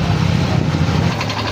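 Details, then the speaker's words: Yamaha Mio i 125 scooter, 2,641 on the odometer, before repair: noisy engine with loose rapid knocking under idle; another mechanic blamed the tensioner, but the cause was connecting rod and worn crankshaft bearing with play, crankshaft replaced. "an papansin niyo yung tunog yon maingay yung makina"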